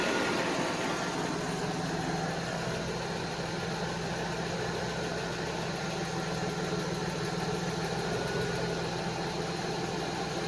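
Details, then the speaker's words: 1991 Mercedes 190E running at night with last donut gasket missing and rear section unsecured: smooth even idle, low hum, no top-end ticking once lifters filled; normal idle. "finally lifter's filled [Music] up so we're actually in good shape more or less"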